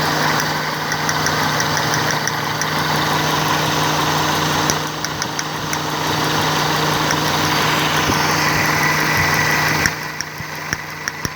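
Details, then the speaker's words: Toyota Corolla petrol engine idling steadily and evenly with a light regular tick and no miss, after the leaking faulty ignition coil behind the misfire was replaced; now running normally. "गाड़ी इस वक्त बिल्कुल ठीक है और car tips and solutions आपसे इजाज़त मांगता है।"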